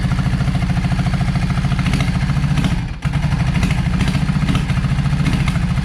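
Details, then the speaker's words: Yamaha V Star 650 V-twin with carburetor trouble, front cylinder not idling while rear runs; loping ragged uneven idle with a brief dip; owner suspects clogged front idle jet: one cylinder not firing at idle. "as run it was not running on the rear but was running on the front and I feel like that the uh the idle jet is clogged up in the front one."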